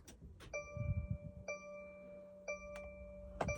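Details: 2024 Mercedes Sprinter, battery fine and starter recently replaced, randomly won't start: with key in its slot, foot on brake, start button press gives only a few chimes and soft clicks, engine never turns over; no-crank no-start, cause unknown.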